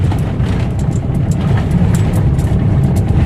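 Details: Maruti Suzuki Swift on the same rough road after repair (front left link rod, rear right shock replaced, caliper pins shimmed): steady low rumble, no knocks or clunks; earlier suspension noise solved.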